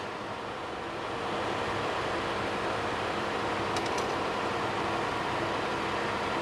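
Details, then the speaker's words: 2015 Toyota Sienna AWD 3.5 L, driving at speed checking for reported wheel bearing noise at 50-60 km/h: steady even road roar, no whine, growl or clunk at rear differential; differential quiet and healthy. "back I checked the differential there's nothing there it's quiet"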